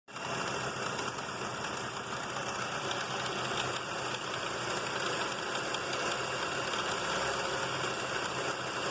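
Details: 1995 Mercury Mystique engine at idle: a steady idle under a dense, gritty rattle with faint knock-like taps from the front timing belt area; the cause is unknown and the owner asks what is making the timing belt noise.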